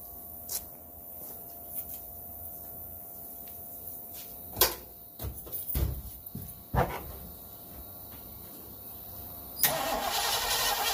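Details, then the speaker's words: Ranchero with 351 Cleveland, off the road 20 years, on auxiliary fuel plumbing, first start attempt: clicks then steady cranking churn with no coughs or firing at all, fuel smelled but no spark; crank no start. "turn it over a whole bunch we can both tell pretty much by ear it seemed like it was getting no spark you can always tell when it's just not coughing at all"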